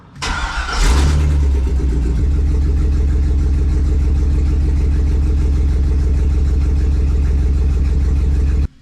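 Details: 1954 Chevy rat rod with LS V8 swap cranks, catches and settles into a rough, lopsided idle with heavy uneven thump; 200-300 misses on cylinders 7 and 8, popping under load; coils replugged, one plug wire pulled, internal engine problem doubted.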